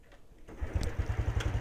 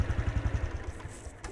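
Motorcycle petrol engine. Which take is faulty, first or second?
second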